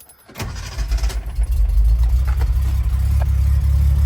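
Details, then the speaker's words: 1971 Datsun 240Z, 2.4 six-cylinder, 5-speed, in neutral with emergency brake on and already warmed up, catches instantly after a brief crank and settles into a steady, even, smooth low idle; owner says it starts the same cold. "So when it's cold, it starts just like that."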